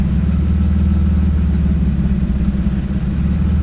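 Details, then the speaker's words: BMW E36 being fixed up as a daily driver, idling weird after slave cylinder work: low steady rumble with a slightly uneven, loping beat; owner says nothing too bad, cause unknown, rough idle. "it's kind of idling weird that's not nothing too bad like so I guess back to internets so we'll see what happens"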